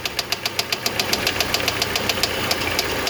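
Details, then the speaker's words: 2013 Mini Cooper R56 non-turbo idling: sharp even knock about four a second, a death-rattle from a bad idler pulley; it stops when a pry bar is pressed on the pulley. Timing tensioner already replaced, water pump pulley fine. "so come to find out it has a bad idle pulley that will cause the death uh sound like the death rattle"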